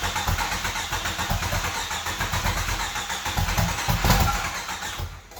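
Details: 1995 Jeep Wrangler YJ, first start in years after new fuel pump and filter replaced a shot pump and rotten gas: engine catches and settles into a smooth, even beat with steady firing, no knocks or misses; normal running.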